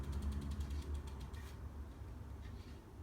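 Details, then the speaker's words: Bicycle rear wheel after replacing a broken drive-side spoke and truing: soft rhythmic scuffing about four times a second as the wheel spins, brake pad rubbing the still out-of-true rim at that spoke. "can hear it just rubbing right there"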